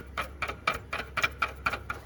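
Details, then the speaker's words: Toyota Tundra V8 fan clutch assembly bracket, pulley spun by hand with engine off: dry click three to four times a second from a rough, worn bearing; suspected source of squeaking, water pump also leaking; bracket to be replaced. "honestly my squeaking is probably coming from here and the water pump's just weaving so replace the bracket it's called the fan clutch assembly bracket"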